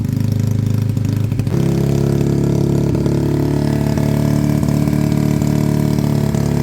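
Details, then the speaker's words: A Suzuki Bandit with a Blue Flame exhaust, revived after sitting, gives a deep, steady, lumpy cold idle with no knocks. It sounds healthy but needs to warm up, with a little black smoke on revving. "it sounds beefy because of that exhaust but um let's give it a couple of it sounds healthy enough but uh it does need to warm"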